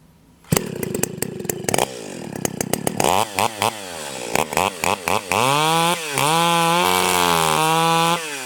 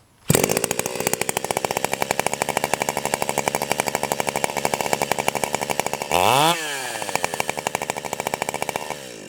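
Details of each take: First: Stihl 028 AVEQ chainsaw with an aftermarket pipe, high-speed jet tuned by ear in a log cut: clean high scream at full throttle in the cut, then a burbling four-stroke bark when pulled out; mixture set right. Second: Stihl 028 AVEQ chainsaw (Kaiser), low-speed jet screw turned in about half a turn: starts and idles fast and busy, brief rev, chain trying to creep. Lean low-speed idle mixture; fix by backing the low jet out.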